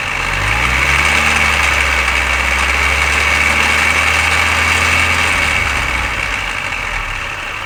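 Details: Mini R53 idling with a light, slightly irregular metallic rattle over a hissy engine note, after the timing chain tensioner, chain guides and PCV valve were replaced; source still unknown.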